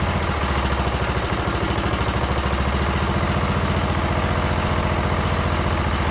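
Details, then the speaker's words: Briggs & Stratton single-cylinder on Troy-Bilt Bronco lawn tractor after second carburettor cleaning: steady, even thump at lowest idle with idle screw fully out, no misses or hunting; runs smooth, full rpm also good. "now so that idle screws all the way out that's like Rock Bottom idle right there and it's perfect nice and smooth and full RPM sounds good too"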